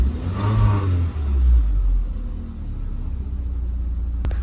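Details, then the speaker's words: Mk1 Audi TT, after immobiliser work now starting on its own: quick clean throttle blip, then drops back to a smooth settled idle without stumbling; normal revving and idle, engine management and airbag lights on. "Obviously the immobilised light's on because it has been deimmobilised, so that's normal, but they're fresh. Seems to be idling fine."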